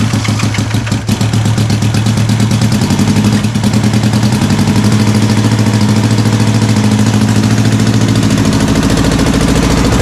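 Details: Honda CB450 Black Bomber twin, recently revived, started with battery meter attached to check charging (appears to charge poorly); catches quickly, settles into an even beat and revs freely with throttle. Earlier run had a suspected slight rattle, cam chain checked.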